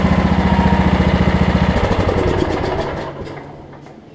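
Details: Over-20-year-old Craftsman riding mower, Kohler Command engine, previously locked by a wrongly fitted deck belt. Even, rapid single-cylinder chugging for a couple of seconds, then it winds down smoothly and turns freely; normal running.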